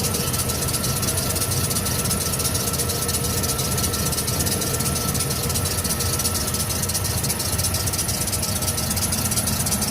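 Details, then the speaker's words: One-owner 1996 Ford E150 Econoline van with high miles, hood open at idle: a thin, steady high squeak rides over a rough, even idle; owner suspects a squeaking belt, not confirmed. "You can hear some squeaking. It sounds like it's possibly a belt in here squeaking."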